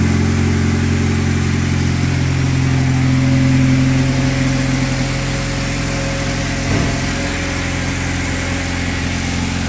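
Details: Honda Accord, first start after new clutch kit and rear main seal repair; catches, brief raised idle, then eases to a steady even hum with no knocks or grinding, healthy.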